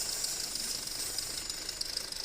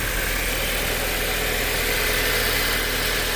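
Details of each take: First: 2008 Audi A4 2.0T at idle, codes P119A and P2279, adding 25% fuel: loud hissing whistle with fluttering buzz at oil filler; failed PCV diaphragm built into the valve cover. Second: 2008 Audi A4 2.0T after new PCV valve fixing crankcase vacuum (codes P119A, P2279): smooth, even idle, steady hum, no tapping or rattle; much quieter, though metal debris means camshaft wear may remain.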